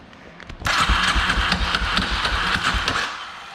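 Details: 2003 Polaris Predator 500 during compression test, about 130 psi throttle closed, 145–150 open: fast uneven whirring and clatter cranking without firing; starter drive suspected as the noise source, not confirmed.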